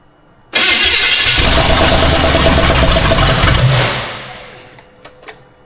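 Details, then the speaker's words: Austin's Buick, first runs: catches abruptly, runs rough about three seconds, then sags and dies; unsure if it wants choke, owner then suspects it needs more fuel. "I don't know if it wants to choke. Lumber down. Weird."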